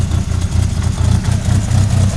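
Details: 1998 Mitsubishi Eclipse RS at idle: low rhythmic knocking several times a second; owner suspects the transmission, source unconfirmed.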